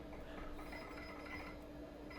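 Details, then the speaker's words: 286 PC booting from an old Kalok hard drive set as type 17 (41 MB) after the memory count: steady drive whir with quick light clicking seeks; healthy drive booting normally. "And it is. I mean, just listen to that hard drive sound. I mean, this is really, really cool."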